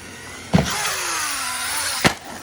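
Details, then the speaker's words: Mojave RC basher stuck on a branch with wheels in the air: between two sharp knocks, a whine slides down in pitch as the wheels spin down; pinion and spur look fine, owner suspects something slightly bent or misaligned; drivetrain whine, cause unclear. "sure some of you guys can hear that little bit of a whine whenever it's tacking up in the air I have looked over everything there's nothing"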